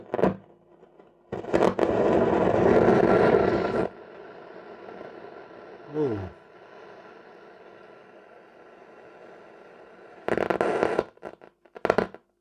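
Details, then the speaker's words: Telefunken Opus 8 tube radio slowly powered up to about 200 volts, drawing 200–250 mA: bursts of harsh crackle and static over a faint hum from the speaker, caused by very dirty band switch contacts. "that doesn't sound good does it still only drawing 250 milliamps so giving this the these switches are dirty [Music] the volume down these switches are really really bad"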